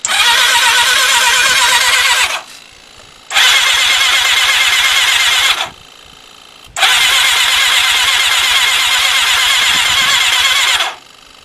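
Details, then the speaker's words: Thunderace motorcycle, fresh oil added, no fuel in tank, on paddock stand: three bursts of fast high whirring cranking with pauses, engine spinning on the starter without firing to circulate oil. "right i put a battery on so there's no fuel in the tank all i want to do is just spin it over and just see"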